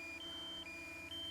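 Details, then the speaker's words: DJI Mini 2 controller giving its critical low-battery warning at about 10% on a breezy flight: rapid two-tone beeping, high and low, at double speed, about twice a second. "Critical battery, critically low battery. And it said that at 10%. So now you hear the beeping is double time. So it's really freaking out right now."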